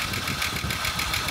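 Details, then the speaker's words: Ford EL Falcon Futura, off the road for a few years, barely run, hard to start: light quick ticking over rough idle, steady with engine speed; owner unsure whether lifter tap or a bad pulley bearing. "I'm not too sure if that's a like a tap it lifter type noise or whether there's a bearing in one of these pulley that um that's no good"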